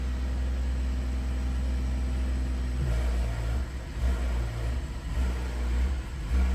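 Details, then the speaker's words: BMW N55 running at idle during ISTA Valvetronic Run-In ABL after replacing servomotor and eccentric shaft and fixing a damaged chassis ground strap: steady low idle hum, note breathing up and down as it cycles; procedure completes. "And it'll successfully run this procedure. You can hear it intaking."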